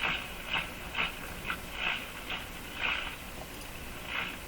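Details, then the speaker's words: Mohawk Model 1240 five-tube radio on 116 volts, run with the AVC capacitor removed: hissy static with irregular swooshing bursts as the dial is tuned, no stations received, sounds like an open-circuited grid. "interesting sound there that sounds like an open circuited grid"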